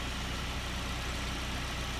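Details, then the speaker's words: Car idling after repair; the metallic shearing and rubbing noise is gone, leaving a steady, even idle hum; normal idle. "when you hear the car now it doesn't sound like an articulated lorry with its engine pulling itself apart none of that shearing noise the metal rubbing"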